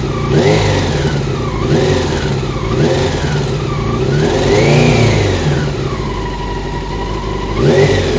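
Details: Honda CBR600 F1 engine blipped up and down repeatedly: a rattly whir rising and falling with revs; problem found to be the cam chain tensioner.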